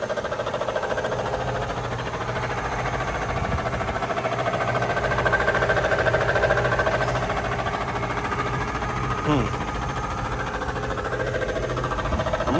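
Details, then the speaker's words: 2003 Mercedes SL500 at idle, car bought cheap and undriven: fast, uneven clatter with faint whine; mechanic unsure if motor or exhaust, pointing to a noisy front ABC hydraulic suspension pump. "Uh something's going on here either it's the motor or the exhaust now this is going to be interesting because I have no idea what I'm dealing with here"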